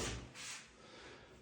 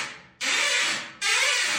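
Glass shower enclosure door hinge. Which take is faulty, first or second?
second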